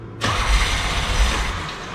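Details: 1987 Pontiac Fiero GT 2.8L with carb intake (possibly S-10) and advanced distributor: engine catches, runs rough a second or two, then dies from fuel starvation; carb needle lacked its float clip, one bad plug wire noted.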